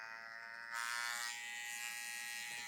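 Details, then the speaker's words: Tatvida brushless rotary tattoo machine, thought to be about 6-7 W, running at 9 volts and faster: thin high-pitched electric buzz growing louder and sharper at higher speed; noisy at high speed. "Là, elle fait du bruit, ça va plus vite. Mais le bruit, c'est compliqué, quoi."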